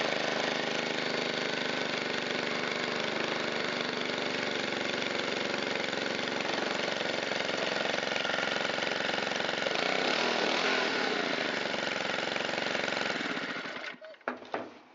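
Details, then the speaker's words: Shindaiwa EB254 Hybrid4 4-stroke handheld blower, long unused and non-starting, on its restart test after filter cleaning and a new fuel filter (valves unadjusted). Steady, even buzzing idle, a brief speed swell near ten seconds, then clean shutdown. Runs healthy. "Well, other than the fuel tank grommet, I would say this is done. It runs fantastic and it's in like new condition, with a little bit of dirt on it."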